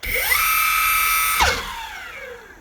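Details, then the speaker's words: Evolve GTR Carbon electric skateboard, two months old: one hub motor gives a high, harsh whine as the spun wheel coasts down, much louder than the other motor. Its wheels don't stop together, and the motor gets hot if run. "this motor is very loud for some reason this one's quieter still makes noise but not as much as this one"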